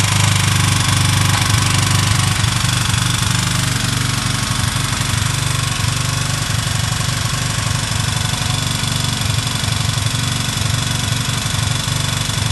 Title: Что за звук (стук в двигателе) на китайском мотоцикле?